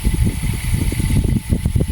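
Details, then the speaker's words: Motor with its bushing converted to a bearing, running on test; steady low hum with a soft, fast, uneven rumble from the spinning bearing balls; runs strong; noise is normal bearing running noise, no oiling needed. "yung kanyang bearing na umiikot yon, pero walang problema doon kasi yung ikot, yung maingay na yon, yung ano lang niya yon, yung bola niya."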